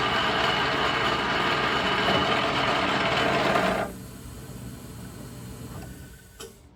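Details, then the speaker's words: 1940s 14-1/2" South Bend lathe threading at 16 TPI, with high tool pressure; steady whirring cut suddenly drops away at about four seconds as the spindle bogs and stalls, probably chipping the insert. "Well, I'm not exactly sure what happened there, but I seem to have stalled my lathe and probably chipped this insert."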